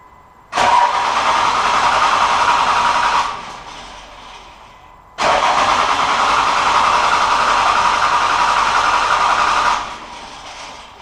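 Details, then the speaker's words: 1999 Cummins 24-valve diesel with hard, long starts and heavy white smoke; about half the injector lines cracked open: two long cranking runs at steady starter beat, engine never catches; suspected failing injection pump, weak fuel delivery. "Customers complain of hard starts and long starts, and once you get it started, it's white smoking real bad out the exhaust."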